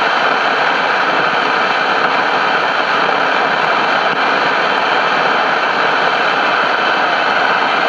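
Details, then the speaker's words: CBS 5-tube AM radio: constant harsh hiss and crackle static, reduced by the volume control so not the audio output stage; typical of failing capacitors inside the two IF transformer cans, four unmarked capacitors suspected. "so this noise is uh typical of the I the capacitors and the if can's going bad"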